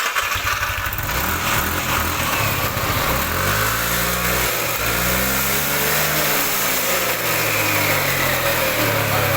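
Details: Yamaha NMAX/Aerox scooter after replacing CVT belt, rollers and clutch linings to cure lack of power: engine revs up and down smoothly, no slipping or rattles; drive sounds healthy.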